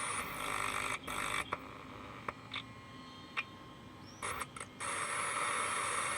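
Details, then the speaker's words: JBL Cinema SB400 subwoofer amplifier with the suspected IC pulled: a constant steady hiss with a few handling clicks. The IC is not at fault; the noise may come from the output stage, whose IC was then replaced. "इस IC का problem नहीं है इस IC को निकाल दिया इसके बावजूद भी हिसिंग साउंड है आप सुन सकते हो"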